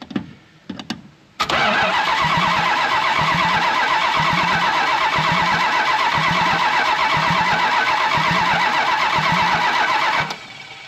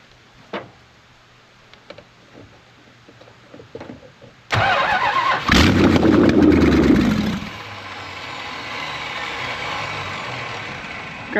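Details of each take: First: 1968 Plymouth Road Runner with a 440 (believed from about a '78 truck or motorhome), run without headers or manifolds. Cranked by jumping the starter relay: steady rhythmic cranking at about four turns per second, no firing, no oil pressure yet. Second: 1968 Plymouth Road Runner with a 440 V8 (tag suggests ~1978 truck/motorhome engine), no headers or manifolds; hot-wired after new starter, oil pressure confirmed; quiet ticking, then fires instantly into harsh open-port bark and loud, raspy, uneven idle, run only briefly.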